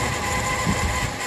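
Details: Noisy car aircon compressor, much louder than before, at idle: steady droning hum with a faint ringing whine; aircon specialist found the compressor clutch bearing worn, replacing it removed the noise.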